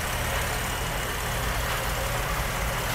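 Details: 1951 Muntz Jet with factory hop-up kit, Edmonds aluminum heads and intake, dual Carter carburetors, three-speed automatic: steady, even engine rumble at idle with a fair amount of hiss, no knocks or misfires; normal idle.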